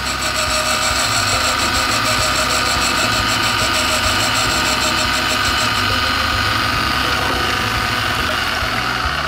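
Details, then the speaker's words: Refacing valves from a Toyota 3SGE 16-valve head on a valve grinder set to 45 degrees; steady high grinding hiss that pulses and wavers each turn instead of staying smooth, meaning the valve face is not concentric. "if you knew that inconsistent noise that means your valve faces and consent"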